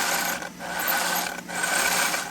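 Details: Traxxas Unlimited Desert Racer (UDR) rear differential, hand-spun after a rebuild with a whole new planetary gear set and old grease removed: smooth, even gear whir in short bursts, no grinding, catching or clicking; the diff turns freely and healthy.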